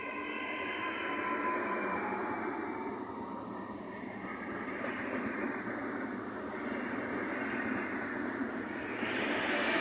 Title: parte piano piano ho udito un rumore strano sotto la cassa di testa